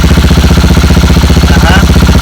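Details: Motorcycle without kickstarter, with a bad battery, idling after its second start using a small power-bank jump starter grounded to the chassis. Firm, regular putt-putt holding steady without misses. Normal idle.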